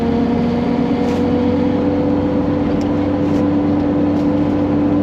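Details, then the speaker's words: Jeep XJ while cruising, new exhaust fitted and quieter: steady low groan with a constant droning tone under road noise; owner suspects a roasted rear differential. "Has an exhaust now, which is better. Still not amazing, but it's quieter. However, you can hear that big groaning noise."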